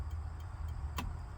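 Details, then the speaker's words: Project Mustang with 302 engine and badly damaged wiring, fuse box hanging loose: crisp, evenly spaced hazard flasher clicks about three per second, quiet background; flasher working normally. "Well, we got something. I got a little click-clack."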